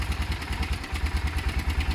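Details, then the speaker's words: Motorcycle project idling after work: even, deep single-cylinder thump at a steady pace, no misfires or rattles. Left to idle a few minutes; owner says it sounds great. "going to leave it idle for a few minutes I think that's best I think it sounds great"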